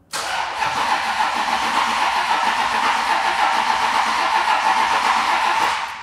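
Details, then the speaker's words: Cheap crashed Ferrari, first start attempt, owner unsure the fuel pump works: starter churns steadily about five seconds with even rhythm but never fires; cranks, no start, cause unconfirmed. "Mad. I don't know if the fuel pump's working."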